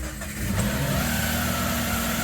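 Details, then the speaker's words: 2015 Subaru Forester FB25 2.5L with a DIY Eaton M65 supercharger on a machined smaller clutched pulley without enough shims: a loud, harsh idle with a rough grind as the clutch drags, the supercharger running even when it should be off. "so I'm just started it up with not enough shims to fully space these guys so you can hear the supercharger running even when it should be off and when I force it to use the supercharger"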